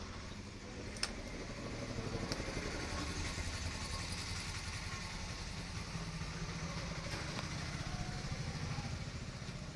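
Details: Bajaj NS200 after replacing a loose timing chain tensioner that had caused engine noise: steady, quiet idle with even beat and no chain rattle or ticking; normal idle.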